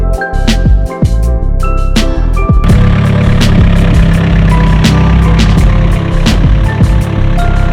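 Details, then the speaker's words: Nissan S15 SR engine with aggressive head package at idle: loud rough idle with busy metallic chatter from the top end, brutal VTC rattle because the valve springs are too strong for the VTC to overcome at idle; it goes away with RPM. "You hear my S15SR VTC rattle? It's pretty brutal. If you like put an aggressive head package on these um the valve springs are like too strong for the VTC to really overcome at idle."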